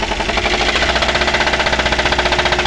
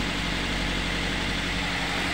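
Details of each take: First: Daihatsu Gran Max before repair, running rough and misfiring with no power, being revved. Loud, heavy metallic knocking about three per second, as if something in the engine is about to break: connecting rod knock. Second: Daihatsu Gran Max after repair of rough knocking under throttle and misfiring, oil pressure switch replaced and oil light now off, warming up after start: steady, even idle with a smooth low rumble and no knocking or ticking.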